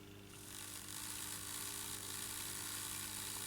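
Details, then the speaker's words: Airfix GWR 14xx 0-4-2 tank model locomotive after rebuild, lubrication and a replacement chassis (faulty diecast chassis had grinding gears), powered at 4-5 volts: light, steady high whir, gears turning smoothly without catching; works. "bit GE but uh it's working working indeed"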